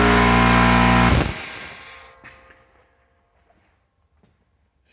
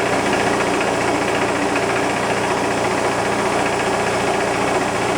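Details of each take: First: Old 30 gal Sanborn direct-drive compressor, just under 2 hp, bought new 10–12 years ago: loud, steady droning hum with a strong low buzz that cuts off after about a second; pretty loud but running normally. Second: Bigger shop air compressor, old unit with a very large motor, filling from empty to full in about six and a half minutes: loud, constant clattering rush from the pump; owner notes a little play in the wheel, suspected but unconfirmed, otherwise working; noisy pump.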